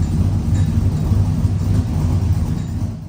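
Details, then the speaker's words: Warm 1999-06 Chevy Silverado V8 with new Flashark headers and intake, MagnaFlow single-in dual-out exhaust, idle then revs: calm, even, lumpy deep rumble with no ticking or puffing; no exhaust leaks, healthy. "So at idle, it's nice and calm, it's timid, you get into it. There's no other sound like it."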